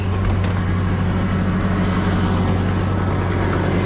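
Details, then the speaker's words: Old Ford Super Duty dump truck, early-morning start after a new exhaust and muffler: steady low idle with a light, quick tick riding over it; exhaust manifold leak at the heads, as suspected. "Yeah, we definitely have a manifold leak."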